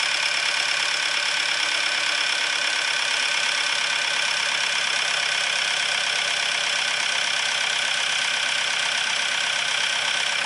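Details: Diesel after the chain and pump timing were checked and the cold-start advance regulator wire was powered and adjusted: steady, even idle clatter with no misses or surges; normal idle, pump timing right, engine running smoothly.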